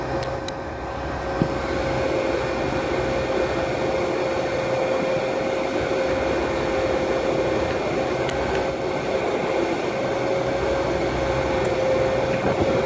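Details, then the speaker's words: Herocut 45i plasma cutter after about two years of use: steady fan drone with mid-pitched hum, broken by sharp loud relay clicks seconds apart on and after trigger release; four failed diodes behind a heat sink. "there's a loud click and then after a while after i let go of the trigger it'll it'll like uh have another clicking sound"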